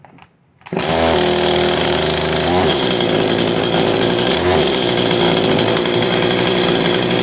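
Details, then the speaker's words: Chainsaw CS310 after clutch spring fix and low screw reset: an even, steady two-stroke idle with a smooth burble and no surging; the chain no longer spins at idle. "you can see that the chain is no longer spinning because we took care of the spring on the clutch"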